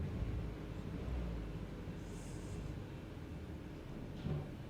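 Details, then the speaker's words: Peugeot 308 CC (P0087 fuel pressure fault) with the coil believed to be cylinder 1 unplugged: low, uneven idle stumbling with irregular thumps, deliberate misfire, yet no code set; the coil later proved to be cylinder 4. "So let's start it up, even though that number 1's disconnected. There we have we've got a misfire now anyway."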